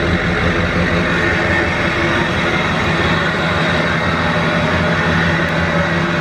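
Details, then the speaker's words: 2007 Chevy Silverado 2500HD LBZ Duramax diesel at idle after the factory cat and muffler replaced a straight pipe. Even diesel clatter, no misses or rattles, with a muffled exhaust tone that is much quieter than before. "much quieter we'll have to do some pull tests show you the difference when it's toner trailer and definitely quieter I was waiting for it to be loud and then it wasn't loud"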